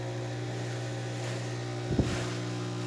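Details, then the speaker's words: Isomac E-61 espresso machine after full service (descale, backflush, new group gaskets and shower screen), test shot pulling: steady low vibratory pump hum with one brief knock partway; normal pump operation. "We're just making sure water runs through the front. We'll make sure we could make coffee, of course."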